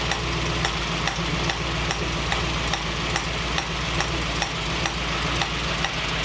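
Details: 1965 Mustang GT convertible after new Tuff Stuff 7068K 140 A alternator: steady loud hiss with faint regular ticking over low idle rumble, a new sound seemingly from the carburetor; cause unknown.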